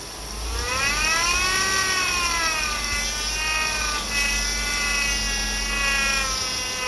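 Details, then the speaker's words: 2008 Chevy Impala 3.5 V6, noise persisting after customer replaced the power steering pump, engine revved: whine climbing and falling with revs; air bubbles seen in the fluid, power steering pump cavitating on aerated fluid. "Those are air bubbles. That's what's giving you that noise."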